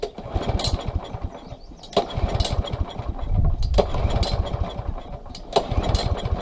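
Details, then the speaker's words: Small pull-start engine, no choke, stored with fuel in carburetor bowl; runs on starting fluid, so plug, compression and air are fine. Repeated pulls every two seconds without firing; no-start from lack of fuel. "okay so that says it's fuel so we're gonna take apart the bowl take the bowl off carburetor part and clean the jet and put it back together and that should run okay"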